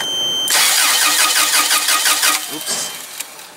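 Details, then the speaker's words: Toyota 7FGU25 forklift with a no-start complaint, spark tester on one plug wire: starter cranks at a steady, normal-sounding rhythm for about two seconds but never catches; compression not suspected, spark present, cause unconfirmed; cranks but no start. "I already hooked up my spark testers to one of the plug wires and going try to crank it and see if it helps"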